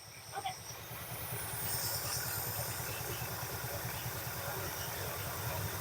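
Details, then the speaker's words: 1969 Ford F250 Ranger Camper Special V8, ignition timing being advanced a few degrees: low steady idle that lifts slightly and evens out, sounding happier and no longer coughing after the adjustment. "you can hear the engine pick up it starts to sound a little happier right there"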